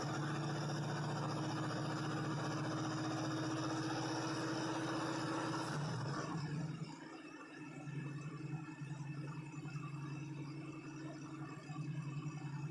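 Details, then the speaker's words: Cold V8 squarebody with Holley carb, choke plate just set and checking the fast idle: fast even idle that dips briefly, then settles back up; the fast idle is likely set too high and needs backing off. "I'm going to start it up and see where my fast-idle set at it's probably going to be a little too high as far as the idle go so I'm gonna have to back it off"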